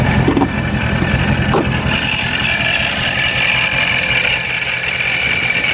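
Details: Procharged Dodge Scat Pack V8 after the shop corrected its tune: steady, even idle with constant high supercharger whine, no misses or knocks, no check engine light; owner wonders if earlier supercharger noise was from a cold engine; normal idle.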